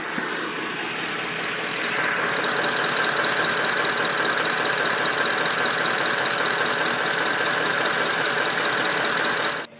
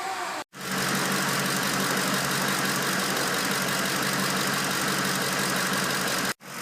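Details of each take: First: Ford 5.4L 3-valve V8 at idle: light, fairly regular tapping about four per second over the engine hum, louder on the right side, coming from the right-hand head valve cover area; cam phaser knock. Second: Ford 5.4 L 3-valve V8 after replacing camshaft phasers for phaser knocking: steady even idle with smooth quick valvetrain tick, no knock, stumble or rough idle; normal idle.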